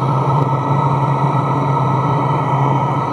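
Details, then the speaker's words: Chinese diesel heater in portable aluminum box, about three minutes after start at full operating temperature: steady, even low hum with smooth fan rush, no knocks or surges, blowing clean hot air; normal running. "so within three minutes it's up to full operating temperature and it's blowing like nice clean hot air"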